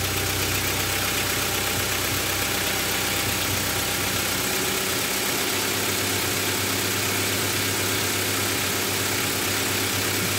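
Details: Honda Civic 1.4i after an oil and filter change: steady, even idle with a smooth low hum and a light, even valvetrain tick; no knock or miss, engine runs healthy.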